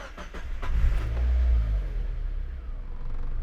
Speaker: Okay, look at that. The car actually starts and idles.